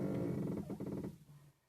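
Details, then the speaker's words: Nissan Tsuru/Sentra: a low, rasping creak pulsing rapidly when turning the steering, over bumps at low speed, or rocking the car; it seems like a shock mount but is a worn, dry steering tie rod end with a damaged dust boot letting dirt in. "diera la impresión que se tratara de algún problema con el amortiguador la base del amortiguador o algo parecido ya que incluso al mover el auto hacia arriba y hacia abajo por rechina igual hace el mismo sonido más no se trata de de eso el problema está en una de las terminales en de la dirección"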